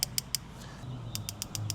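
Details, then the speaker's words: Sharp, evenly spaced igniter snapping clicks, about six per second, with no gas hiss on a portable Weber Q-series gas grill that won't light; igniter sparks normally, gas line or valve regulator suspected. "Oh, yeah. We see it sparking."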